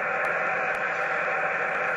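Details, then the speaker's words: Amateur HF radio at home QTH with Antron antenna on back of garage: 15 m band shows S6–S7 steady even hiss across the entire band, no signals breaking through; persistent interference noise floor, source unknown, also affecting 17 m and 12 m. "if I go up another band 15. F6 S7 all the way through the entire band"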